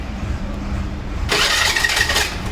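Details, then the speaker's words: Hero or Honda scooter (e.g. Maestro, Duet, Pleasure, Activa): harsh scraping grind when the self-starter engages over idle, as the starter gear rubs against a bent crankshaft end. "जब से लगाते हैं तो एक अलग से आवाज आती है तो उसका जो करेंगे का चढ़ा रहता है दोस्तों वह बैंक हो गया होता है उसी कारण से दोस्तों यह आवाज़ आती है"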